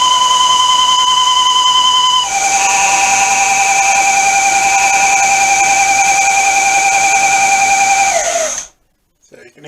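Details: Semi-homemade 1-inch belt sander at high speed: loud steady high-pitched whine dropping in pitch, then winding down; suspected worn wheel bearing, exact wheel unidentified, later replaced with serpentine belt pulleys.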